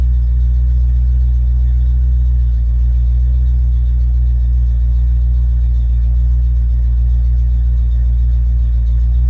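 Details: Ford Mustang with a rebuilt A9L mass air flow ECU (E9ZF-12A650-AA) on test after a no-start: the engine comes off high idle and settles to closed loop at about 800-900 RPM, a steady, even low V8 rumble with no stumbles or misses. Normal idle.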